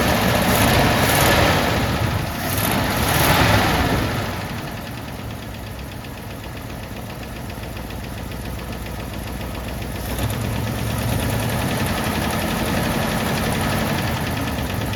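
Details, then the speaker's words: Jeep AMC 327 V8 after exhaust manifold gasket replacement, idling with choke trouble, mic near oil pan: steady knock about three a second, persisting as idle rises; owner suspects main bearing or flex plate/clutch hitting flywheel, unconfirmed. "I've seen it before, like happen to other people in like revival videos, where like the flex plate or the clutch or something weird like that is just like hitting the flywheel."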